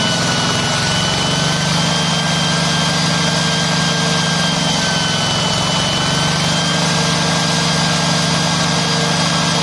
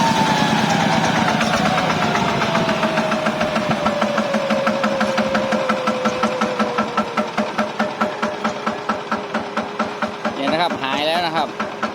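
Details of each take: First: Yanmar TF105LM walk-behind tractor diesel revs up by itself and holds a loud, steady high rev that won't drop to idle or shut off (valve must be lifted to stop it). Governor stuck or worn, before the fix. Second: Yanmar TF105LM diesel on a walk-behind tractor, after a temporary field fix for the engine racing on its own and not shutting off (suspected stuck or worn governor). Revs drop away smoothly to a slow, steady diesel chug without surging; normal idle.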